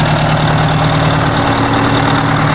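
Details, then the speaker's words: 1980 Peterbilt 359 diesel at idle: heavy drone with a slightly lumpy, uneven beat, not running smoothly; one cylinder dead, suspected bad injector on one side, coldest cylinder found. "poor old trucks running like it ought to be smoother than that I'm not happy with it"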